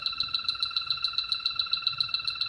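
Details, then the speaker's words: HVAC refrigerant leak search with a battery-powered H10 detector: its ticking speeds up to about seven per second at the bottom of the wall by the baseboard, locating the leak. "listen for it speeding up you hear it speeding up and now that's at the bottom of the baseboard right the concrete and the the you know right there at the bottom"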